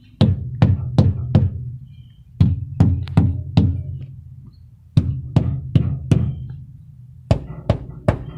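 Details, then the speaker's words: Truck tires checked with a tire mallet, giving quick groups of dull low thuds. One tire thumps deader than the rest: it holds only 20 psi and a leak is still audible, so it is an underinflated tire needing a change. "That's the flat one right there. 20 psi was in that thing, and I still hear the leak, so I know where it's at."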